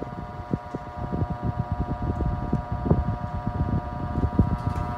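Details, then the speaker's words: Mid-to-late 1980s Sears-rebadged Lasko 2150 12-inch desk fan, before repair, on medium: steady whir with uneven buzzing rattle; blade slightly warped and off balance, owner guesses from heat, with rattle partly from grilles loose from clips. "The blade is a little bit off balance too, I guess from heat exposure. It's kind of warped a little bit, but I'm lucky enough it's not too warped, so it's not too bad."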